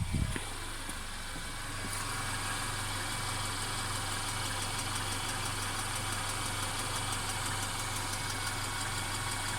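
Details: Mercedes CLA 250 engine at idle with a persistent faint, fast metallic ticking rattle; car also stutters when accelerating after long slow driving; rattle cause unknown.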